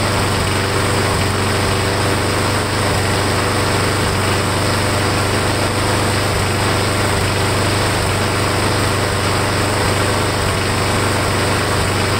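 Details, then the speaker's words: Briggs & Stratton Quantum mower engine after repairing the warped air filter base with built-in primer: runs a steady, even drone with no stumble while primer is pushed; primer seems to be working. "Sounds like it's working."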